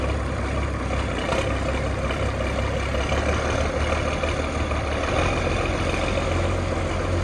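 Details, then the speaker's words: 6060 tractor with loader, started with a little ether, driven off a trailer under light load: deep, steady diesel rumble, no misses or knocking; strong power, no blow-by; normal running. "It runs and drives great. It sounds great. Sounds like it has a lot of power. No blow by."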